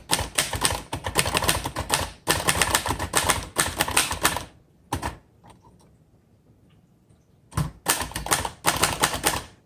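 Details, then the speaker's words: 1960 Royal Heritage manual portable typewriter typing demo: crisp, even key strikes in uneven bursts with short pauses, a buffered, noiseless-like tick; owner unsure if intended, typewriter working normally. "it actually sounds like a um like a noiseless i know you can hear the tick tick tick tick but um noiseless typewriters have kind of like this buffering feel and sound to it"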